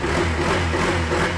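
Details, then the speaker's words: Keyless motorcycle with a failed receiver, started by key and push button after joining the pure yellow and yellow-green wires to power the ECU without the receiver. Catches and settles into a steady, even low putter with a light whir; normal idle. "It's alive! Alright! So nakita nyo, umaandar yung motor ni boss na kahit walang tulong ng receiver para mabuhay yung kanyang ECU."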